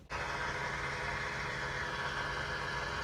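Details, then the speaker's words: 2018 Ford F-350 6.7L diesel, key on and engine off, priming after a fuel filter change: a steady electric lift pump whir with a rough, airy buzz while air purges from the fuel system. "you may have to cycle the ignition a couple times before it gets all the air out it's getting quiet"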